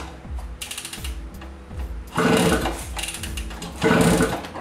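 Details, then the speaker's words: 1967 Kawasaki D1 two-stroke motorcycle with Superlube oil injection, carbs cleaned 6 months ago without new gasket: repeated kicks with ratcheting and a firm compression thump each time, but the engine never fires; no start despite compression. "So, there is compression. You can hear that. But it's just not want to start."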